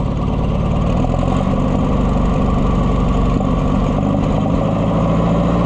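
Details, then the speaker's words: Oliver 550 loader tractor, long abandoned, just started: low, lumpy idle with dropped firing pulses; owner says it's missing and runs better with the choke pulled; misfire at idle, cause not confirmed. "We do not have a happy camper here, friends. Missing out."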